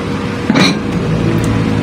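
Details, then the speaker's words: Electrolux microwave oven, after repair of a no-power fault: steady low mains hum with no crackling; the earlier arcing noise is gone and it runs quiet. Normal running. "Kung napansin nyo, wala na siyang, hindi na siya nag-a-arcing katulad nung kanina na parang merong gumaganon siya guys. Ngayon wala nang ingay. Tahimik na siya guys oh."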